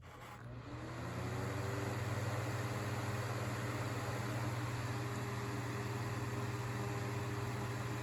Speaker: So the only difference I think is the older ones tend to run just a little bit faster and they move a little more air.